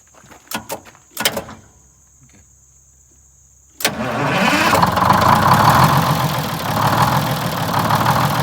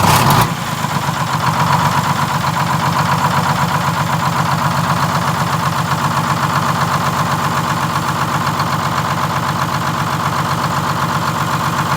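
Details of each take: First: 1947 Silversides bus with Detroit Diesel 6-71 two-stroke, after governor and idle adjustments: a few clunks, then it catches and settles into a steady, smooth idle with no loping; previously lopey and vibrating. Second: 1947 Silversides bus (Sages 3751) with a Detroit Diesel 6-71: the engine catches and settles into a fast, busy idle clatter that wavers slightly, hunting from a misadjusted governor buffer screw; the governor is being adjusted to get shutdown working.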